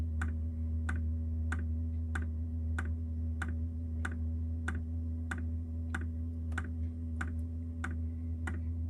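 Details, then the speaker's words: Diesel heater installed on a Jayco Freedom caravan, heard outside: sharp regular ticks about every 0.6 seconds over steady fan hum as the fuel dosing pump pumps fuel; working normally. "You can hear it ticking away outside, that's for sure. Here, it's ticking away to pump the fuel."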